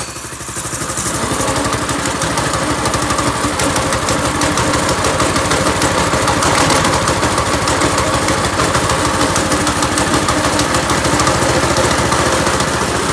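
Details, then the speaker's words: Small single-cylinder go-kart engine started with choke and fuel on: a low, uneven, clattery idle with loose, ragged firing; the idle is rough and probably set too low (suspected). "Oh, that sounded bad. Maybe we should give it a little bit more robust idle there. That thing was sure to let me know about its displeasure, about the idea of me getting on and riding it."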